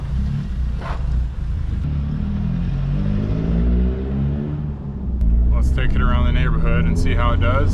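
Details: Toyota AE86, driving after rebuilding the rear-end bearings (owner had suspected worn bearings): a steady whine rising and falling with road speed over the engine and tyre drone, no better than before; rear differential whine, cause not confirmed.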